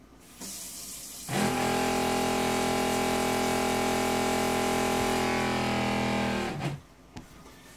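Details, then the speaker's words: Jabsco diaphragm water pump on a catamaran yacht, after a rubber mat was fitted between its mounting board and the fiberglass hull to cut noise; a steady buzzing drone starts, runs evenly for about five seconds, then stops. "we've installed the rubber we've noticed a difference in the sound so we're going to test the sound and you can be the judge we think it is a noticeable improvement"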